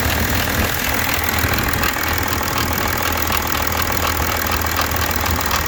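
Steady diesel idle with a fine, even rattle of about four beats a second underneath; likely chain-related but not confirmed.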